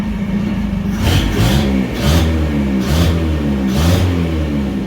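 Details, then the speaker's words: Bedford CA with a hole in the exhaust pipe and no breather, running smoothly, being revved: sharp pops and crackle on each blip over a rough rumble; owner attributes the popping to the exhaust having no back pressure. "really responsive no flat spots but i think most of the verbal and popping you can hear is exhaust no back pressure"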